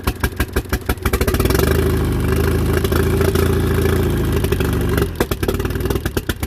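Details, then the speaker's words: Small fuel-injected car putting around: uneven stumbling exhaust beat, lumpy revs and dropped pulses; plugs pulled showed both center-hole plugs fouled and mismatched makes; misfire from fouled spark plugs. "okay so I'm sort of tired of this thing putting around and I pulled the plugs out and as I suspected both the center holes are fouled all the plugs are different makes and models"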